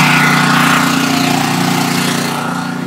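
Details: Generator started on choke, running outside the basement wall to power house circuits through a newly installed Reliance transfer switch during a test outage. Once off choke it holds a smooth, steady drone with an even beat and no hunting or surging: running normally.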